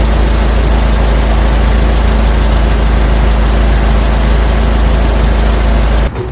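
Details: Toyota 4AGE after timing kit, timing belt and distributor install, timing set to 10 degrees. Steady, even idle with firm low thrum, no misses or knocks; normal idle.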